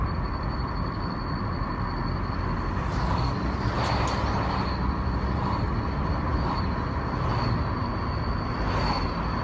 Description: Свист появляется спустя 20км+ пути. Нет при нажатии тормоза, нет на холстых ходах. Наиболее выражен в районе от 30 до 80км/ч не зависимо на какой передаче машина